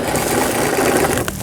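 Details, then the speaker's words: Brother Prince 15 sewing machine, stored broken about ten years and now repaired: straight stitching at a constant pace with a steady even whir, no knocking or catching; the old machine runs healthy. "자, 직선 바느질 오래된 기계인데 작동이 되고 있네요."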